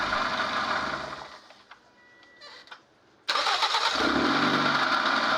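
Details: Toyota Vios being checked for a no-crank problem; it runs, is shut off, then cranks briefly and catches at once into a steady idle over repeated start-stop tries. Starts clean and healthy.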